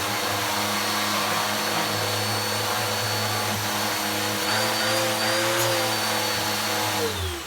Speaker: now is it my imagination or does that sound more powerful